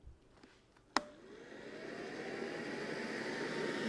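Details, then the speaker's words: Brand-new Mercedes secondary air injection pump (M272/M273 V6/V8) run on the bench: click, then smooth even whoosh with rising motor whine and strong airflow; healthy pump sound. "it's also blowing a nice strong stream of air so there's the sound you want to hear now that you got to hear a brand new secondary air pump run on the bench"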